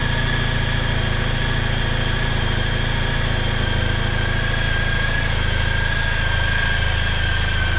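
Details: Honda ST1300 motorcycle on stock standard exhaust, cold fast idle near 2000 rpm: smooth even exhaust beat with steady low rumble, idle easing down as it warms; normal, healthy idle.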